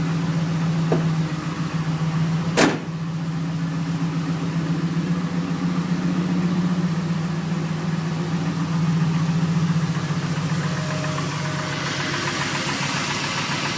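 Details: Camaro SS V8 idling before engine removal with a deep, rhythmic knock underneath: rod knock from a spun number 3 connecting rod bearing.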